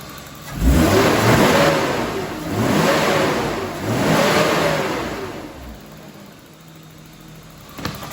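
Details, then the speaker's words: BMW E36 328i six after fixing vacuum hose leak (rough idle, cold stalling): three clean throttle blips, revs climb and drop smoothly without stumble; runs well for first time after sitting years. "well guys seems to be running perfect I revved it up probably first time it ran good in about five or 6 years"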